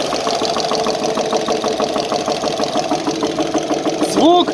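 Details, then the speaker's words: GAZ-66 engine, warm idle, knocking after water got into the crankcase, oil pressure light comes on when revving: steady, fast, light knock over engine hum; suspected connecting-rod bearing on the front cylinders. "Я думаю, что вкладыш на каком-то из шатунов. Ну, то, что мне кажется. Мы слушали звук двигателя. Он такое ощущение, что на первых цилиндрах."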